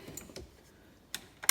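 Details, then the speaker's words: 2007 Honda FourTrax TRX250TM quad not starting: battery still above 12 volts while pressing the start button. Four sharp, dry clicks in under two seconds with no cranking, meaning the starter solenoid pulls in but the starter motor won't turn. "so i've checked battery voltage which is okay uh even on the um depressing the start button we've still got uh over 12 volts so it's obviously not drawing much power at this stage you can hear the solenoid clicking in there"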